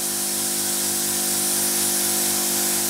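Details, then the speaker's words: Compact 20 kg plasma cutter's built-in air compressor delivering air: quiet, even hum with steady pumping beat under loud air hiss; small compressor running smoothly and fine. "yeah that's really real quiet he quite impressed really"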